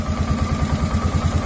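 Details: 2007 Polaris Sportsman 450 single after fuel pump replacement (previously hesitated on throttle), tank low: idle thumps at an even, regular beat without stumbling or dying; normal idle.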